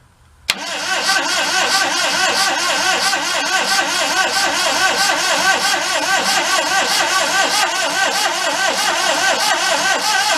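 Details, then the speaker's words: 1992 Daihatsu Hijet mini truck, found thrashed, compression good on each cylinder, gauge reads empty; cranks with fuel line off but no fuel comes out, owner unsure if the electric or mechanical fuel pump is at fault or the tank is simply empty. "all right yeah we're not getting anything i know it's got electric fuel pump mechanical fuel pump or just no fuel in it at all"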